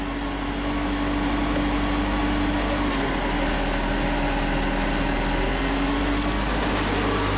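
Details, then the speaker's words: Mazda MPV just after replacement transmission install, parking brake set: engine idles steadily with no load change or clunk into gear; automatic transmission not engaging, fluid level low, not yet filled. "set the parking brake. So see, it's not engaging into gear yet."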